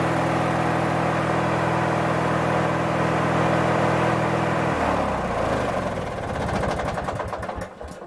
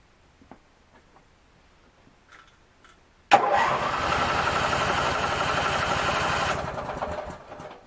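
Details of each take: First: Craftsman 19.5 mower: steady starter cranking with no catch, goes quiet when the key is released, then the engine fires; owner suspects the ignition switch. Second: Craftsman 19.5 riding mower after ignition switch replacement and refuelling: after a silent wait it fires immediately and settles into a steady, even single-cylinder run with no misses.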